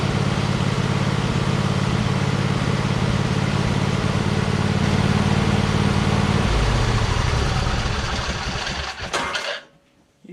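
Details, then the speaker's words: Cub Cadet RZT 50-inch zero-turn mower with swapped engine running: a loose metallic rattle from the starter drive gear not fully disengaging, staying slightly engaged on the flywheel. "that rattling is it stopping that's the starter that's still engaged a little bit and it's kind of rattling around on there"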